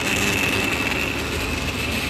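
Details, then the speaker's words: 2002 Ford E-series van, 5.4 modular V8 (believed), check engine light, codes P1132/P1152: with PCV hose reconnected, a steady high-pitched buzz over the idle from a faulty vibrating PCV valve causing a large vacuum leak. "yep that thing buzzing away buzzing buzzing buzzing away"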